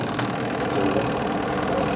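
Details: Polytron front-loading washing machine converted from automatic to manual after the original failed beyond repair: drum spins smoothly with a steady, even motor hum and light mechanical whir, running normally.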